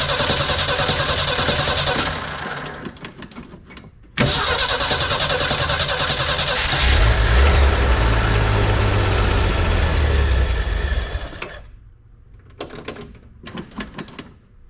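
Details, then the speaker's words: 1983 Ford F150 with the 300 inline-six, Carter YFA one-barrel carb just fixed and cleaned, battery fresh off the charger, fuel bowl initially empty: catches after a few cranks and settles into a steady, even fast idle on choke with no misses or knocks. Normal cold start. "oh that's a perfect fast idle speed there we go"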